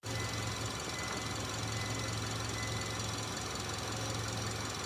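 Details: Subaru engine knocking after repair/rebuild: steady running with a constant metallic rattling knock over a low hum; source of the knock not identified.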